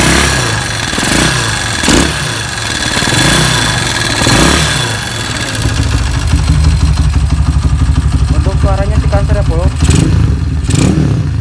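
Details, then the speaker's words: Motorcycle just fitted with EDO E2 aftermarket camshaft and timing chain: rough, uneven revving with loose ticking clatter rising with revs, deeper exhaust, more power; cause of valve-train ticking unclear. "Suaranya sangat kasar dengan E2, Bro. Anda pasti bisa mendengarnya. Lihat, suaranya benar-benar kasar."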